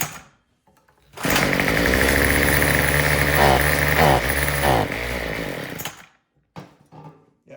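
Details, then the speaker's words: Troy-Bilt TB225 two-stroke tiller that sat all winter: runs about five seconds with wavering revs, then fades and dies, starving for fuel. Mixture adjustment didn't help; the causes were rotten fuel line and old carburetor gaskets and diaphragm. "Still just running out of gas."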